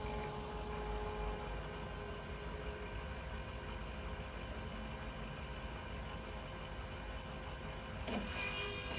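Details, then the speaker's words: Semi truck with no fuel pressure gauge, during engine repair: a faint, steady electric hum with a fine whine as the fuel lift pump runs and builds fuel pressure. Normal operation. "pressure I gu thing's quiet oh there it goes we got fuel pressure"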